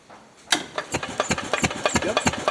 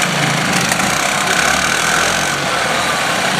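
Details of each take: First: 1977 Harley-Davidson golf cart, 250 two-stroke, sat for years; key switch bypassed by jumping dash wires, now cranks with spark; engine spins with steady chuffing beats, about five or six a second, but never catches; cranks but won't start. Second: 1977 Harley-Davidson golf cart with 250 two-stroke running after years of sitting; steady, even buzzing idle drone with no misses or knocks; runs well, though a broken ground and the forward/reverse selector sometimes make it hard to start.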